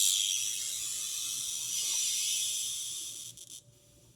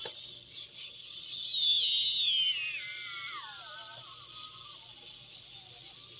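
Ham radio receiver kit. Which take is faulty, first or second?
first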